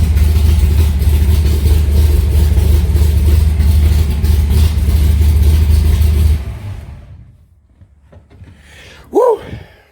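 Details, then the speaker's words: Alumacobra (Cobra replica) cold start after sitting a few months, in garage: deep, even rumble firing steadily about six seconds, then switched off; normal cold start running. "It gets smoky in here, so that's why I don't start it too often."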